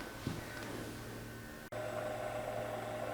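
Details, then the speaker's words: Harrison universal mill table motor run on the bench after removal, before bearing replacement: steady hum with a gravelly, uneven rumble underneath; the bearings sound rough and must come out. Worn motor bearings. "well that sounds rough doesn't it so those bearings are going to have to come out"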